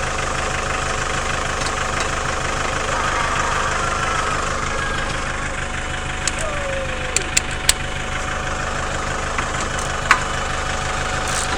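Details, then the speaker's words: Chevrolet Captiva 2.2 diesel idling after an oil change and new fuel filters while checked for leaks: a steady, even clatter at constant speed with light clicks from nearby work, a healthy idle and no leaks. "donc là la voiture est en train de tourner elle tourne parfaitement bien au ralenti ici visiblement tout est bien étanche"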